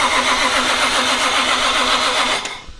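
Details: JZ engine swap, first cranking after wiring and coil pack install, after battery was dead, not yet meant to start; steady even cranking rhythm, starter spinning engine cleanly with no firing, normal cranking.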